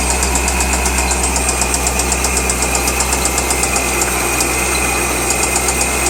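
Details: 2003 Corvette Z06 LS6 V8 idling with a steady, sharp tick-knock about four times a second over its low hum; engine knock at idle.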